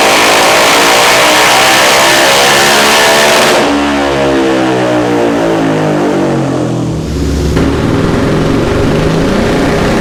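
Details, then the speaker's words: 2019 Yamaha Raptor 700 SE single with built top end, Dasa full exhaust and new Vortex ECU on the dyno: strong clean bark sweeping up through the revs on repeated full-throttle pulls, no misses or pops; runs smoothly, high-58 hp and 47 lb-ft. "the main thing is that the machine was running smoothly and it"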